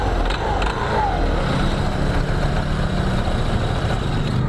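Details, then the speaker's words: 2021 Honda PCX 160 idling with a coarse, gritty rattle at the front CVT pulley, also shuddering on initial pull-away; fixed by cleaning the very dirty CVT without replacing parts. "kita hidupkan dulu oke suaranya seperti ini jadi suara berisik di bagian depan ya di puli bagian depan di sini jadi keluan pemiliknya seperti ini suaranya kasar ya"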